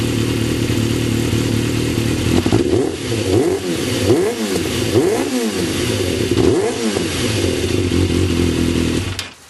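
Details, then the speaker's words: Yamaha YZF 600 motorcycle after replacing the carburetor vent-line filter: steady, even idle with four smooth throttle blips that rise and settle cleanly before shutdown; no missing, running healthy. "And now I'll let you hear the regular sound of the motorcycle, so you can have an idea how it works now after I replace the filter."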